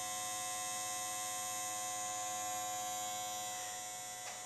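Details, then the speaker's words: 1936–37 FADA Motoset model 267 car radio for Ford vehicles, 6-volt, either ground polarity: steady, even, high-pitched buzz as the vibrator chatters, stepping up tube plate voltage; normal vibrator power supply buzz. "That's right, it's got a vibrator in there. It's not as perverted as you might think, but what that vibrator does is increases the plate voltage."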